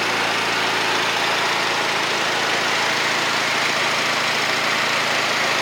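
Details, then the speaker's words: 2004-2008 Acura TSX after replacing an alternator with screaming bad bearings: steady even idle with a smooth hum and no whine or grinding from the front of the engine; normal idle after repair. "let's go ahead starter up and see how she sounds Moment of Truth here money this thing has never sounded disquiet"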